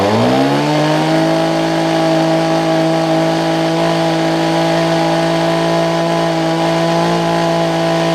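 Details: Older Homelite two-stroke hedge trimmer after new fuel lines, primer bulb and carb tuning: revs up quickly and holds a clean, steady high buzz with no stumbling; normal running.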